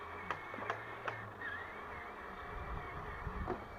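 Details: RC HL Toys SW HL 3058 1:10 bulldozer power scraper on grass with a fixed rear axle (no differential): low motor hum with sharp clicks about every 0.4 s, then irregular, gear rattle; owner suspects replacement rear gear slightly too small and slipping under load.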